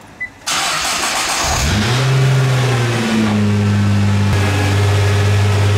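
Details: Nissan R35 GT-R after flywheel housing replacement and transmission solenoid valve cleaning: engine catches quickly, flares, settles to steady even idle with no bellhousing rattle; earlier rattle fixed, normal start and idle.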